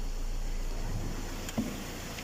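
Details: Ford Transit 2.2 diesel at 62,000 km that had been knocking because the first connecting rod broke; after a new block was fitted under warranty, it gives a quiet, even idle with a low steady hum and no knocking.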